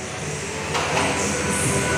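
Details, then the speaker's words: Old Byson motorcycle engine idling with busy, uneven metallic clatter and knocking; mechanic judges the worn clutch set needs replacing, clutch feels wrong on release; owner had feared a connecting rod, timing chain also being replaced. "bagian kopling memang perlu diganti karena mengeluarkan suara berisik seperti itu . Suara ketukan itu, ya, itu tidak bagus."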